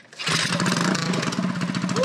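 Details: Custom Motovox minibike's 196 box-stock single-cylinder engine with new piston and rings and 22mm Mikuni-style carb, started cold in a 40°F shop; catches on choke, then off choke with throttle cracked, revs with a crisp exhaust bark and settles into a steady, healthy run.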